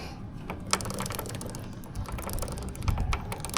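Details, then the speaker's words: Suzuki GSX-S150 motorcycle, about 1,500 km and 4 months since last oil change, ridden in muddy rain: with chain guard and front sprocket cover removed, quick uneven metallic clicking over low drivetrain rumble at the front sprocket, caused by dirt; fix is cleaning and lubricating chain and sprocket. "So kung mapapansin niyo nasa front sprocket yung ingay. So again 'yun ay dahil madumi 'yan."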